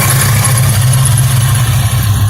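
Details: 1994 Ford Mustang GT SN95, bought non-running, after fuel pump, inertia reset and wiring repairs: steady deep V8 idle, even and smooth, no misses, knocks or ticks; oil pressure 50, no check engine light, healthy.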